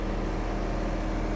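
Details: Jetwave Executive Silent high pressure cleaner trailer, liquid-cooled 42 HP Kohler diesel direct-coupled to pump at 1500 rpm, in soundproof cabinet under 70 dB: even, steady low drone, no knocks or uneven beats; normal idle.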